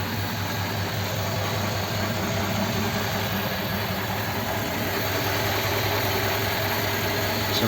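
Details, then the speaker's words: Rebuilt Ford 59A flathead 239 V8 in a Roadster, fully warm, air filter off so the carb is audible: slow, even idle with a soft steady beat and no knocks or misses; running sweetly. "that's fully warm there you know with the air filter on you wouldn't hear that carb nice"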